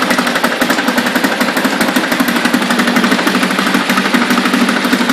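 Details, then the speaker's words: 1976 Ted Williams Sears ESKA Gamefisher 7.5 hp air-cooled Tecumseh two-stroke outboard, carb and fuel lines redone, in a water-filled garbage can: putters at a low idle with quick, even popping, steady with no misses or surging; idling healthily. "I think I can turn it down a little more without killing it"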